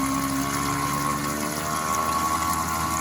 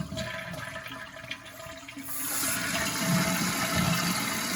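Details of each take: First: Steady pump drone with a thin high whine near 1 kHz during a toilet flush after replacing the flush valve and handle; the plug had turned oddly and blocked the water from coming through. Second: Toilet flush after replacing the handle and reattaching the flapper: a sharp rush of water, then an even, steady refill hiss with no gurgles or squeals. It sounds correct, though a noise later returned from a misturned plug.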